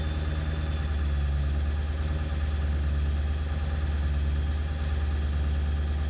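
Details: 7.3 diesel at idle after ICP sensor replacement, still running poorly: a low idle with an uneven, wavering beat of about three pulses a second rather than a steady clatter; rough idle, cause unclear.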